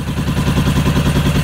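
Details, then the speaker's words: 1996 Suzuki RF900R, previously running only on brake cleaner: lumpy, pulsing idle, about eight throbs a second, surging rather than settling; running rough, owner suspects carburettor problems needing cleaning. "She's running because you can hear. She's like uh not uh in good position. Probably there are some good problem in the carburetors."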